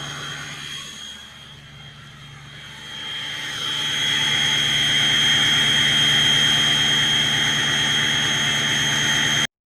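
Steady diesel at raised idle with a clean, high turbo whistle that grows stronger and holds evenly; sounds healthy.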